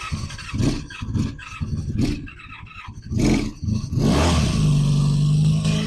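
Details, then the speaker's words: 1985 Honda Magna V30 V4 motorcycle, first start after carb rebuild, JB-welded tank, new fuel lines and radiator, ignition bypassed, fan unplugged: ragged bursts then coarse uneven running with clattery top-end noise; rough running, worse than before the work, cause unknown. ">> It may or may not be obvious in the video, but this thing sounds like absolute dog It sounds way worse than it did the first time I started it before I worked on it."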